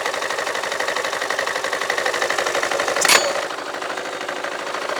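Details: Yamaha Majesty scooter at idle about 1100–1200 rpm, CVT cover off: fast metallic clatter, about four knocks a second; owner sees clutch shoes slapping the bell, unsure if normal.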